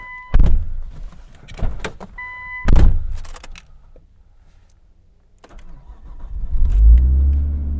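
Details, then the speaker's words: 1999 Nissan Skyline R34 GTT, 5-speed manual, about 20 years old: two chimes, quick crank, then the engine fires into a steady, smooth idle; normal start. "Yes, we have life. You can hear it idle."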